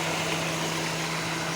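Steady, even idle with a constant low hum and no misses or surges; the carburetted engine is running smoothly.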